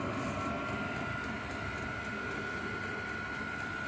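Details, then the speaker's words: 5kW diesel heater on a workshop cart, just lit and warming up: steady rushing roar with constant high fan whine and faint regular pump ticks underneath; burning steadily, normal running. "So we've got slightly warm here. Oh, that's it, it's going now. Yeah."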